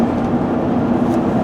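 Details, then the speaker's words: Vehicle with a freshly rebuilt G80 rear differential, in its gear break-in period, cruising at about 55 mph: only a steady tire and road rumble with no singing or whine from the rear axle. Normal rear differential, no gear whine. "now just normal tire noise not much but you can hear it there's no wind out of their rear end that I can see and things seem to be working good so hope it stays like that"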